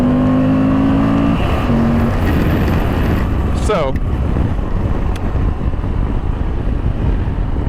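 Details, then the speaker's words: 2020 Moto Guzzi V85TT V-twin, parked in a showroom 5 years, stationary throttle revs: twin pulses rise steadily, getting smoother toward redline after a lumpy idle; healthy engine revving cleanly. "you'll notice how it kind of smooths out the closer you get to red line."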